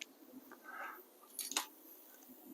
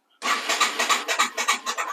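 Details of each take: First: Yamaha TW200 single that had sat for a while, first start after fresh fuel, a new fuel line and a charged battery (air filter looked fine): quiet, then it catches on the first try and settles into a steady, even thumping idle. Healthy start. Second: Yamaha TW200 that had been sitting: starter cranks the engine over well in even pulses, about five a second, but it never starts; owner plans to pull and clean the carburetor.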